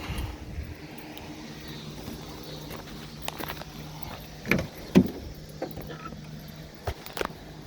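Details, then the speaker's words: 1999 Dodge Durango V8 idling smoothly and evenly during warm-up right after intake replacement (had been using a quart of oil every 250 miles); quiet steady low hum with nearby clicks, checked for fuel leaks. Normal idle. "Alrighty, we are running. I'll let it sit here and warm up."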